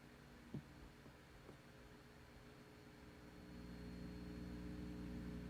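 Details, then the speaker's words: 300B vacuum tube amplifier kit, listened to with the amp open: quiet, constant low mains hum that swells slightly after a few clicks, never changing pitch, thought to come from a fixed resistor fitted in place of a hum balance adjustment. "Honestly, this is a pretty big experience. Even when listening to music, it's an intrusive condition."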